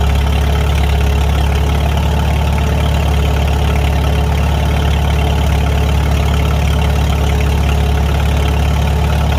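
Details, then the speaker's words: Farmall 300 Row Crop tractor idling after the rust-holed exhaust manifold was replaced, the muffler refitted and the clutch adjusted: low, even idle thump with no knocks or exhaust ticking. The owner likes the new sound; a normal, healthy idle. "Sounds pretty good. Yeah, I think I like that sound much better. I think it fits this tractor better."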